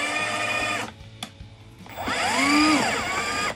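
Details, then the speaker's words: Milwaukee M18 Angler brushless fish tape pulling 25 kg through 40 mm plastic conduit at its limit: electric whine drops in pitch under hard pull, pauses, then winds up and eases smoothly, no grinding. Motor healthy. "so i'd say that's at the limit um that's obviously not good for the motor but that's what we're here for to test this thing out and see what it's capable of so it's still going good"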